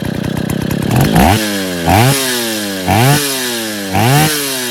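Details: Stihl 070 chainsaw just rebuilt (excess axial play removed, new seal, drum and sprocket fitted; choke and clutch unfinished) blips up and falls back about once a second, catching cleanly each time, no misses or rattles: normal running.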